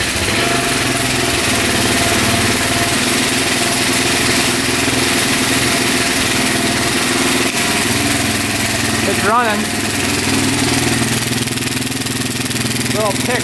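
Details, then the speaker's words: 2004 Suzuki LTZ400 quad, single cylinder, after carburetor cleaning and fresh fuel: fast fairly even putter on choke, no stumble; idle later turned up (throttle was slightly low); no smoke; no coolant, oil low; normal running. "all right we're going to turn the idle up a little bit there we go it's iding good now throttle was just a little low no smoke"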